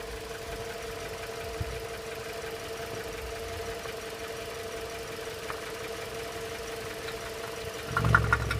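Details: Toyota RAV4 knock at idle, faint irregular ticking about twice a second over steady idle hum; initially slight, hydraulic lifters suspected, oil changed to thicker 10W-40 without improvement, knock becomes very loud when oil filler cap opened; cause unknown.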